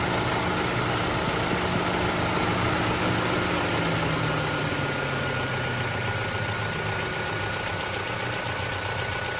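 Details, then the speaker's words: 2024 Toyota Tacoma idling, heard from outside with the owner out of the truck: steady idle with faint light clicking cycling on and off over the hum; source unknown, owner guesses a cooling system part. Cyclic clicking at idle. "And that cycling, that constant clicking off and on of whatever it is. I don't know what it is."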